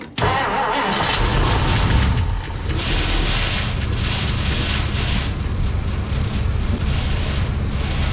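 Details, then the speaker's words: 1959 car, sat for weeks, restarted after refuelling: it cranks, fires and idles with a light tinny rattle over it. The rattle is a loose clip on the fender. "all right she lives again that rattling sound is actually this little clip on the fender"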